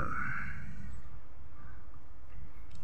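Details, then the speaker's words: Maspion electric fan after replacing the burnt motor (dinamo) and refitting the oscillation parts: smooth, low, steady hum with no rubbing, rattle or buzz; fan running normally. "sudahudah normal ya sobat ya bisa tengok kanan kiri ya sobat ya suaranya juga halus ini sbat"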